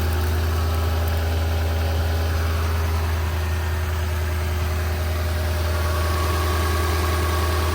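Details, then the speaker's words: Lexus LS460 (port and direct injectors), cold start after sitting: rough idle with faint uneven shake and fuel-pump ticking; suspected misfire on cylinder 6, owner suspects a direct injector, will check injectors and compression. "there is a little bit of a vibration which is the misfire right now it sounds kind of rough it's been sitting it's a cold start"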